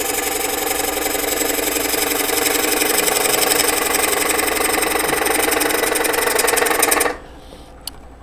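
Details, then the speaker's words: Rapid even chattering clicks, about four a second, as bowl gouge bounces while cutting at 45 degrees on out-of-round bowl; end grain sticking out is cut while side grain not yet reached. "you hear that you hear that bouncing or that clicking sound so on the side grain we're making a nice cut but on the in grain we've got oh I'm sorry on the on the end grain we're making a cut because it's sticking out so we're cutting that off"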